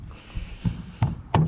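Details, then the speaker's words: 1999 Chevy Silverado 1500 Z71 with NVG246 transfer case, rear driveshaft rocked by hand: sharp metallic clunks from a worn U-joint with excess play, blamed for breaking the transfer case adapter. "This one is the problem child for me causing all of all the issues for my transfer case. So if you're having this issue make sure you check your U-joints."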